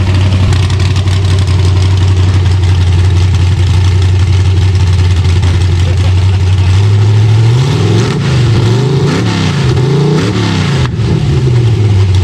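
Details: Chevy Vega with a 5.3 LS V8 swap, just started in cold weather; it still stumbles off the hit. Lumpy idle with a few revs, and the beat stumbles now and then, breaking up a little; the owner suspects the cam sensor, which is not confirmed.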